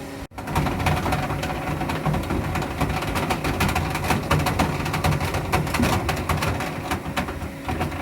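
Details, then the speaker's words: Pool/spa heater firing while heating from about 75 to 104 °F setpoint: dense, uneven clatter over low running rumble, then shuts off and refires every 1–2 minutes; owner unsure if valves closing, cause unconfirmed. "And I don't know if that's valves that are closing or what that noise is, but that's the cycle it goes through."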